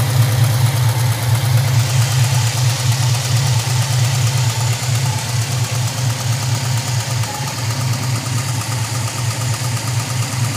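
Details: LT1 V8 at idle: deep steady rumble with a light, fairly regular lifter tick while running 5w30 oil; tick disappeared after switching to 10w30 plus Lucas additive.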